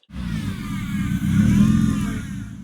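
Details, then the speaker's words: Mk1 Toyota MR2 (AW11) swapped to 5S-GTE turbo engine, on dyno after climbing over chocks: revs rise and fall with a thin, wavering high whine over them; straps pushed a rear brake duct into the alternator belt, duct rubbing belt. "Well, there was an additional repercussion to all that, because as the car climbed over the chocks, the straps slammed one of my rear brake ducts into the alternator belt, as you can hear by that odd whining sound at the end of this clip."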